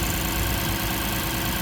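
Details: 2006 Lexus IS250 AWD, running after a no-start, no-crank fix with security light still flashing: smooth, even idle, steady low hum, no misses or knocks; normal idle.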